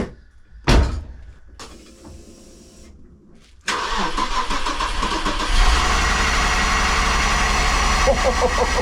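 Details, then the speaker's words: Audi 80 first start after sitting 9 years, no air filter fitted, fuel leaking from lines: engine catches after a pause, then runs at an uneven, lumpy idle with loud intake roar; rough running. "Oh, it sounds very very sucky cuz there no oil for no air filter on it, but it actually runs."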